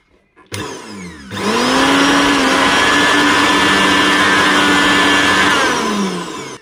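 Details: Koryo mixer grinder after repair of loud running noise and overload switch tripping after 2–4 seconds of grinding: motor spins up to a clean steady hum, winds down smoothly, no rattle or grind; running normally.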